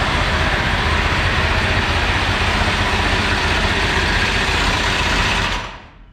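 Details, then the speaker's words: Dirt Late Model race car being prepared, oil not yet changed, before first fire: loud, even cranking churn near four turns per second, holding steady until it stops, no fire yet; normal starter cranking. "Okay. Starter works. Means we can crank it."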